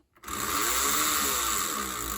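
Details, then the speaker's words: AHM BL2 HO scale locomotive after tightening the loose bottom plate, now moving: small motor's high whine with a faint gravelly gear chatter, slightly more gear noise than before, still not perfect; cause unclear. "Sounds exactly the same as we had before, but it might have a little more gear noise now, which could be a sign of something."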